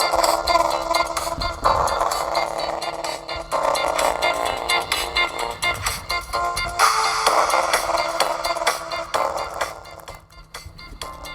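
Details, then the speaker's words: Mid-2010 13-inch MacBook A1342, before repair: music from the single speaker sounds harsh and buzzy, breaking up even at fairly low volume due to a blown speaker, later replaced with a used one. "even when it's turned down fairly low it doesn't sound good at all"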